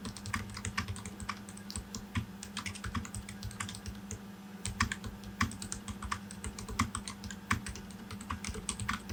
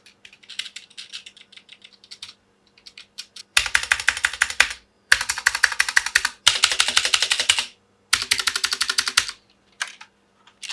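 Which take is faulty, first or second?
second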